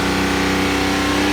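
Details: BMW N57D30 diesel, 325,000 km, held at steady raised revs: uneven misfire-like tapping over the drone. Owner unsure, possibly just this engine's normal sound but louder than others he has heard.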